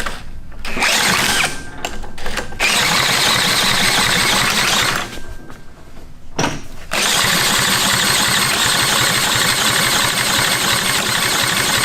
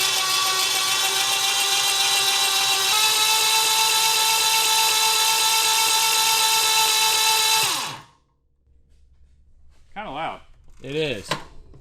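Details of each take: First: Retired military generator engine (4A032 four-cylinder or 2A016 two-cylinder type) stutters through a few tries, then catches and settles into a steady, even fast beat with no knocks or misses; runs healthy. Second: Retired military generator engine (4A032 four-cylinder or 2A016 two-cylinder), jumper-started with no spark plugs fitted: loud steady starter whir for about eight seconds, then it cuts. This is how fast it turns over without plugs; the engine is still freeing up.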